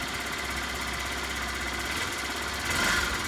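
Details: Copart salvage motorbike with single-point injection, injector removed and fuel squirted into the intake, primed and fired up: catches and settles into a fast, even buzzing run with no misses; normal running.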